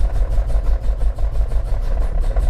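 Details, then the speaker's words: Car with a soft aftermarket racing clutch idling: heavy low idle with fast, uneven metallic clatter from the clutch area, worse with clutch released, milder with pedal in; owner suspects the throwout bearing but says the clutch was noisy before it failed. "if you put the clutch in, it's not as bad. Release the clutch, terrible. Clutch in. So it's just, well, as you can hear, it's pretty terrible."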